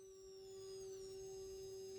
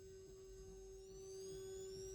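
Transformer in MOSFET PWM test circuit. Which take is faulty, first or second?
second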